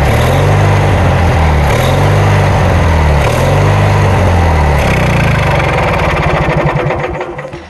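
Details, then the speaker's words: Kohler Magnum 20 engine's first start after repairs, run from a temporary gas tank with the carburetor just refitted and the choke left on (choke cable frozen). It runs loud with a slow surging hunt, then shuts down: uneven running, carburetor needs adjusting. "Enough of that noise, right? I'll get it adjusted."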